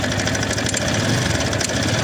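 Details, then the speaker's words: TVS Apache RTR 160 BS6 motorcycle, nearly new, noise started three to four days ago, oil level full: fast, sharp ticking from the top end over a steady single-cylinder idle; abnormal head noise, cause not yet found. "RTR 160 BS6 model और इसमें देखिए कितना गंदा आवाज आ रहा है head के ऊपर से।"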